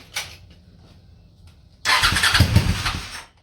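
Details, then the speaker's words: Honda Shadow V-twin motorcycle, same oil for 20k miles, parked 4 years, Seafoam in oil and intake overnight, cold morning, on booster box: quiet pause, then fires and sputters unevenly about 1.5 seconds before dying; hard starting, owner suspects weak fuel pump. "This thing's like starving for fuel or something. Right on. Come on, baby. Give her all the choke. Yeah, she's starving for fuel. I think that fuel pump is weak."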